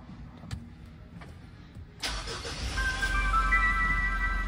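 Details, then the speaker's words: Mitsubishi Montero Sport 4N15 diesel at 50K mileage, started after EGR, intake and throttle body cleaning. A scan showed no trouble codes. It cranks, fires promptly and settles to a steady, even idle with no check engine light, a normal start. "Yun, ayos. Walang check engine."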